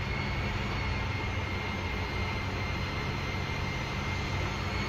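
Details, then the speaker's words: Dash 8 Q400 APU on the ground, starting after bleed valve replacement for a fault where the APU shut down when bleed was taken; fire test OK. Steady turbine roar with constant high whine, no surging or pops; APU running normally. "Now এপিও start. So এপিও start দিলাম।"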